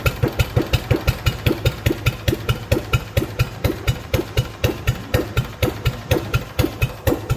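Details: Old Clinton stationary engine, first start in 5 years, now powering a compressor; steady single-cylinder putt-putt about two beats a second with no knocks or misses, running healthy.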